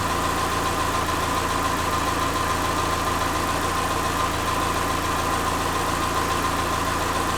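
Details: Subaru Forester with freshly reinstalled EJ25 flat-four, valves not adjusted, warming up around 114–120 coolant, learning idle: steady, even low drone with faint mid-pitched tone, no knock or miss; normal warm-up idle.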